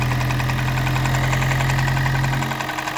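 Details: Toyota Prius 20 with 1NZ-FXE engine that burns oil, at idle: a steady internal knock of three to four beats a second from around the valve cover and block, engine not misfiring; cause unknown.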